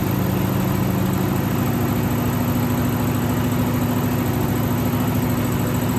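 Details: 1963 AMC 287 V8 Rambler wagon, cold start after sitting: rough idle with a steady high squeal over valvetrain chatter, first mistaken for a belt; left-bank rocker shaft oil-starved after its bolts were mixed up during valve stem seal work.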